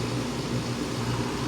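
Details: Whirlpool window air conditioner in a garage, set to 79°, running after startup: steady even hum from the compressor with fan airflow, no rattles or knocks; running normally.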